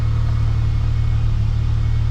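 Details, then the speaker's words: Car left sitting two days, then warm (not a cold start): petrol engine holds a steady fast idle at 1500 rpm with no throttle applied, versus the normal 750–800 rpm. Faulty throttle position sensor (P0121) with check engine light. "So the RPM should be down here like around 750. Anywhere between 7 800. That's where the idle should be at and it's way up here. That's 1500 RPM right now."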